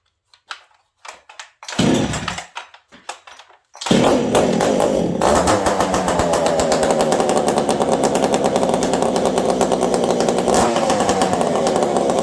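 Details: Chainsaw (Stihl 044 with new carb or ported Ironhorse 372XP) in cold weather, tuned slightly lean, restarting after sitting about 2 minutes: a few pulls, then a steady, even high idle with no stumbling; normal running.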